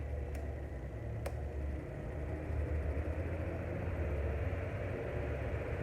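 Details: Mondial household fan running with a steady low drone and rough hum; a customer complaint, suspected to be the shaft or gearbox because it stops very quickly; replacing the bushing fixed it.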